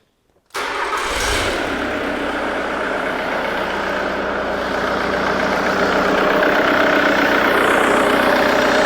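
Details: 2008 Jaguar X-Type 2.0 diesel with the fuel pressure regulator supply bypassed, test lamp staying bright: fires at once and settles into a steady even idle that firms slightly, no misfire; runs properly, confirming a wiring fault.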